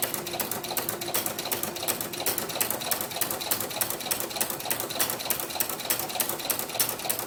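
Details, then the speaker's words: Sewing machine with Inspire ruffler foot on setting 1 (ruffle every stitch), 3.5 mm stitch, dial fully right, gathering organza: a fast, even mechanical clatter of about three stitches a second with no skips; the machine runs normally. "all I'm doing with my fingers is holding the organza so it flows evenly through the machine sometimes it happens that it catches a little bit but if it does just give it a little tug back here and I'll come through"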